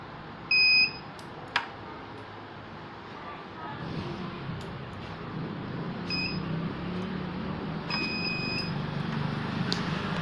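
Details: Microtek hybrid inverter under repair: short high-pitched beeps in separate bursts over quiet background handling noise; the inverter is raising an alarm, cause not determined.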